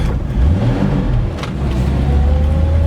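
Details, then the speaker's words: 1964 Ford Falcon after brake, fuel pump and heater core work, warmed up, on a drive: engine sags and hesitates under acceleration then picks up; clutch chatters; stumble cause not yet found. "The clutch does chatter quite a bit. Got a bit of a stumble here we gotta get rid of."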